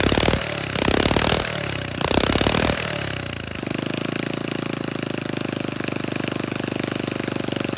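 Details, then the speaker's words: Flathead Briggs minibike engine just started, throttle held open: uneven sputtering bursts, then ragged steady run; rough running, owner suspects carburetor mixture screw setting, not confirmed. "bank is trying to run thank you sounds like a firing right there as far as it goes"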